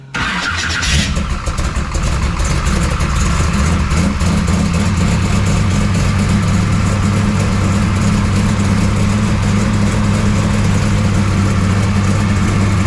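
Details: 1969 Camaro pro street V8 after Holley carburetor rebuild, cold start; starter catches, then loud deep steady even lumpy idle, no misses or knocks, fuel pump audible; runs pretty good, though timing suspected retarded before checking.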